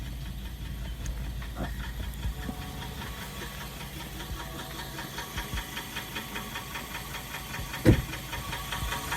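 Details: BMW 318 after a differential swap, driving through the gears with DTC off and the ABS light on: a steady knock keeps time with wheel rotation; one wheel appears to wobble, possibly from a missing bolt. Cause not confirmed.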